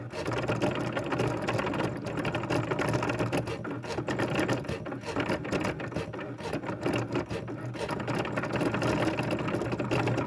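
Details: Fast, harsh ratcheting clatter over the machine's steady hum throughout; something in the drive is knocking loudly, cause unclear.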